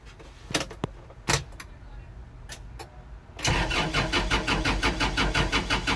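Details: Kubota L4330HSTC hydrostatic tractor diesel after intermittent stalling: clicks and clunks then steady rhythmic starter churn that never fires; fuel filter changed and bowl cleaned, cause unknown, owner suspects a switch.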